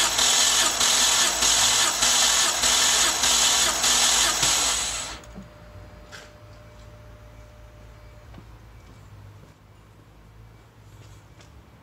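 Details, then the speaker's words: BMW 325i E90 N52 engine that burns oil, compression test on cylinder 4. Steady rhythmic cranking without firing, even beats around a hundred per minute. Reading 175, even and healthy; owner thinks about nine cranks are needed for a full reading. "175 so maybe i should be cranking it nine times you have to go back and do the first two again and crank it nine times"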